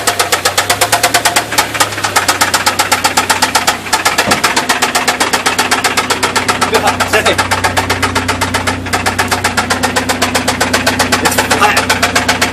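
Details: Chevrolet S10 2.2 engine doing a burnout: rapid, sharp, evenly spaced metallic knocking over the revving engine, keeping pace with speed; bottom-end rod knock, engine to be replaced with a 350 swap.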